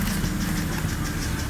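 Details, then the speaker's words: BMW N52 inline-six with lifter tick: after 15 seconds running, with some oil smoke, it still idles with a light, quick valvetrain tick. The noise was not gone; it later cleared after repeated hard revving. "we're gonna go and see if this lifter noise is gone okay let's go and see nope it hasn't gone it's still"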